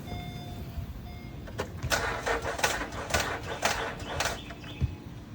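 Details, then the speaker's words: Starter turning slowly and labouring at about two sluggish turns a second on key start, never catching; weak battery shows 12 V at rest but sags below the 9.5 V the starter needs under load, so it needs replacing. "The starter is trying to turn. It needs a minimum of 9.5 volts to turn. This vehicle battery might have 12 volts on the surface, but as soon as you put the load on the vehicle, it doesn't have it."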